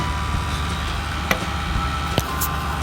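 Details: Computer power-supply cooling fan with a dry bearing: steady droning whir with thin high whistling tones, like an airplane turbine.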